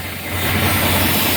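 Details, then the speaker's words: Semi truck and trailer in frigid near-zero cold at idle: steady loud hiss of escaping air at the trailer glad hand seal; air brake leak, temporarily clamped with a C-clamp for the night. "you can hear that leak in the seal there. So, that's an easy fix just for the night until we uh fix it in the morning."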